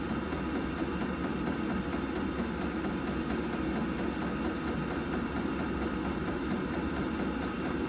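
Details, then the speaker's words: Hcalory diesel air heater in a trailer during break-in: quiet steady hum with the fuel pump ticking softly two to three times a second; normal running, no louder than a propane heater. "not noisy. I could deal with that sleeping in here. That's no louder than one of these propane heaters in here, for crying out loud."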